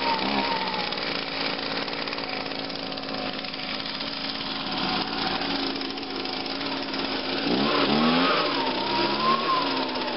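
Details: 2009 Echo PB 251 two-stroke leaf blower cold start with choke and five primes: steady high-pitched buzz holding even speed, with a brief clean rev near the end; running healthily.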